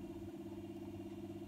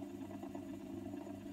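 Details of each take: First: 1960s Revox G36 MK III reel-to-reel tape recorder, unused since about 1975, after oiling the motor's long shaft and bottom bearing: soft steady low hum with faint even pulse, no scraping or squeal; motor runs smooth and quiet. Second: 1960s Revox G36 MK III reel-to-reel tape recorder, motor previously seized and freed with oil: steady low motor hum with a faint rough rumble that swells, fades and sometimes quietens; owner suspects the bottom motor bearing needs changing.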